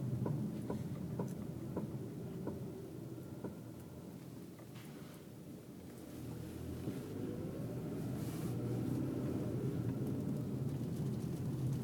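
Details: 2002 Toyota RAV4 while driving: regular light knocks, about two to three a second, from the rear drum brake over road rumble. Pads and drums were already replaced new, and the cause is unknown.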